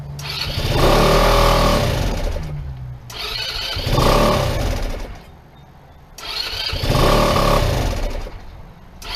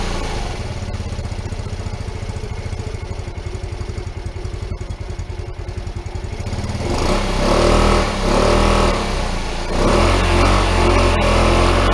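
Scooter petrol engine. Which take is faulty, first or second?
first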